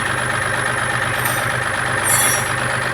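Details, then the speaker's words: Mahindra Quanto diesel after the water pump was replaced (old impeller broken, coolant leak, overheating): steady idle with an even low chug and no whine or bearing rumble; earlier water pump bearing noise gone, normal idle. "അപ്പൊ വണ്ടി start ചെയ്യുമ്പോൾ നേരത്തെ പോട്ടുള്ള ഒറ്റയോ കാര്യങ്ങളോ ഒന്നുമില്ല"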